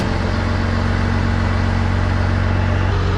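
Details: 12-valve Cummins diesel after raising the idle to just below 1000 rpm: steady, even diesel clatter with no misses or knocks; normal idle.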